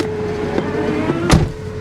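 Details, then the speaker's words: Mercedes S430 V8 with about 132,000 miles, listed start-not-drive, jump-started with ABS and check engine lights on: uneven, lumpy idle with occasional hard stumbles; engine misfiring heavily. "She doesn't run so good, guys. I'm going to turn this off, or turn it down at least. She's misfiring pretty heavily."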